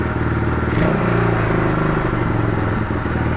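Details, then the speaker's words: 1997 Suzuki DR350 single, cold on choke: low idle thumping unevenly with stumbling, irregular beats; rough idle, also backfires and dies on throttle; suspected cam chain, cam/valve timing, CDI, decompression mechanism or vacuum leak, unconfirmed. "starts the idle starts to fluctuate so listen for that if it's steady we may have made some positive [Applause] change"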